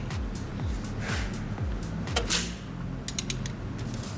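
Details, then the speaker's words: Mercedes-Benz W204 with M271 engine, valve cover off, crankshaft turned slowly by hand: irregular clacks and creaks as cam sprockets slip and snap against the stretched timing chain; long-standing start-up rattle, timing set replaced. "вернее распредвал держит с клапанами звезда поворачивается и в момент когда уже упор идет он проворачивает саму звезду и цепи обратно встает"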